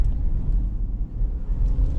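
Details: 2006 Ford Explorer Eddie Bauer, 212,000 miles, test drive after replacing the rear hub bearing assemblies: only a low smooth road rumble, with no whine or roar rising with speed. Driving is normal and the bearings sound healthy.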